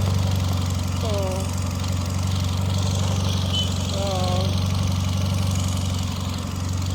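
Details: Repaired Peugeot engine, valve damage blamed on a low-quality head gasket, low steady idle with an even beat and no knocks, misses or ticks; no faults on return.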